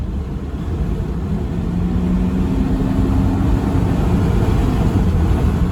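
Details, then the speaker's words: 2009 Toyota Prado 120 diesel, just over 400,000 km, on road test: steady diesel drone building smoothly as speed rises, no knocks or whine over road noise; performs really well, normal acceleration. "No, definitely it performs really well. No issue there."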